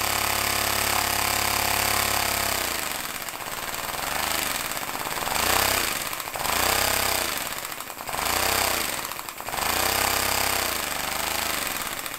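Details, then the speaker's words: Homemade compressed-air engine in a vise, throttled by a pressed button: fast pneumatic chuffing that surges and sags every second or two as it is brought down near a really low idle; smooth, no knocks; normal running. "you can almost idle it and then oh stop and really low idle speed"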